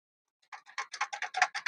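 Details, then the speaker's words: Bicycle bottom bracket (caixa central) with play, before maintenance and greasing: dry, evenly spaced clicks about seven per second as the crank turns; loose, dry bottom bracket, chain keeps coming off. "E tá muito ruim, pessoal. E tá fazendo barulho."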